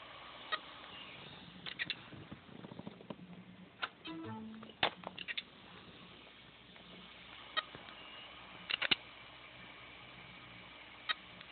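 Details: Seagate Barracuda 7200 750GB drive on a USB-SATA adapter, inaccessible after running hot for two days: sharp, irregular clicks over a faint hiss with a brief buzzy beep.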